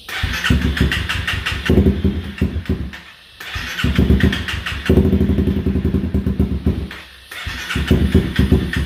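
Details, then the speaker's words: 2016 Honda CBR300R with bogging, stalling and rough idle, fuel lines refitted and fresh fuel added; engine catches in ragged bursts, stumbles, dies twice and refires, unable to hold idle; rough running and stalling. "oh she's trying man she wants to stay running"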